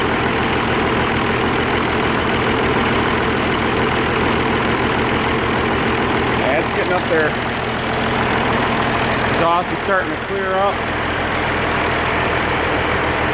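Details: Oliver 1550 diesel tractor after injector work: steady, even idle with regular low beat, no misfire gaps; cheap Stanley muffler fitted, running smoothly.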